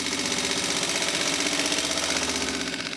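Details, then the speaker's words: Junkyard Mopar 360 small-block rebuilt on a budget, on the dyno: an uneven, stumbling beat about three a second with a harsh, choppy idle. Something was apparently set wrong in a hurry and corrected, then it runs well. "sounds like someone is out of step"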